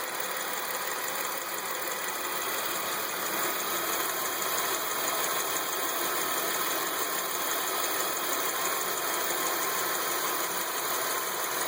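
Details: 2003 Chevrolet Lumina with Ecotec 3.8 (3800) V6 at idle: light fast ticking about two per second, slightly uneven, source unknown; other noises possibly from the alternator.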